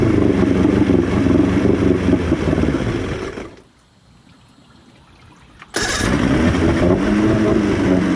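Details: Outboard boat motor with a new fuel pump and primer solenoid, cleaned carbs and 50:1 fuel, warmed up after about 30 seconds near full throttle: it sags, cuts out and catches again, slowly dying whenever returned to idle; cause unknown.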